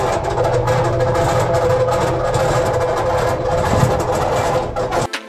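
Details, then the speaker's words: Maytag dryer running makes a loud, ugly noise: rough rumble, knocking clatter and a steady squeal from worn drum support bearings, before disassembly and repair. "esta ocasión tenemos una secadora Maytag y el problema que tiene es que cuando la ponen a trabajar se escucha muy feo."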